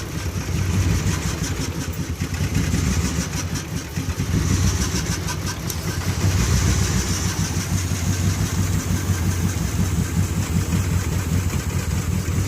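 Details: 2008 Ram 1500 4.7L with P0300 code at idle, brake booster hose reconnected: uneven, lumpy idle stumbling every few beats; injectors tested, fuel smell in exhaust, owner suspects something clogged in emissions; misfire persists.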